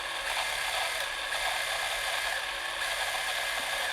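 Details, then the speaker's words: Eumig 128 XL cine camera after servicing, with the focus lubricated and lens fungus removed: a steady, even whirr with no squeak or catch, as the film drive runs cleanly. "ничего не скрипит."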